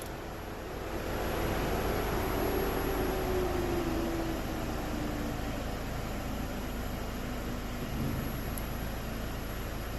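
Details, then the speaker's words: Audi A5 cabin blower after replacing the fan control module, engine running, cycled through all speeds: a smooth, steady air rush whose tone shifts with each speed, no rattles or squeals. The blower works normally again. "all right so basically you know go through all the speeds confirm that everything Works seems like seems like we're back in"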